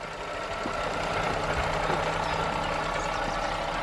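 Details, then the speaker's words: Audi S4 supercharged, with a Revo intake fitted, idling with the bonnet up: loud whirring, rattly whine from the supercharger belt and pulley, still loud about ten steps away; the owner wonders if the intake contributes. "as you can hear the majority of the noise is coming from the belt here as we move further away from the car you can see that this thing is very noisy"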